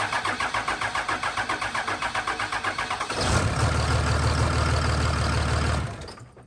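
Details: Cummins diesel truck after a valve lash check, which did not help: about three seconds of rhythmic cranking before it catches, then an uneven, lumpy idle.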